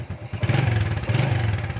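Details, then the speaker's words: Motorcycle idling during an AC to DC CDI conversion: steady even putter with regular firing pulses, no knocks or misses, good spark; normal idle. "So, maganda rin yung tunog ng pag-andar niya, no? Maganda yung kuryente niya."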